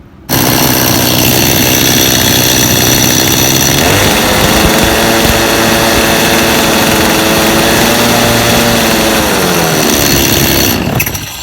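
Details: Chainsaw brought in for a quit oiler, run with bar and chain removed to check oil flow: steady high buzz, revs up smoothly and drops back cleanly with even two-stroke firing; normal chainsaw running.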